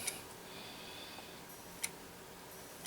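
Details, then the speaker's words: Laptop with Intel Centrino, likely Core 2 Duo, stored since about 2015. Sharp faint clicks roughly once a second with no spin-up hum; hard drive suspected dead, not spinning up. "all we might have a dead hard driving this one so that noise might in fact be the hard drive"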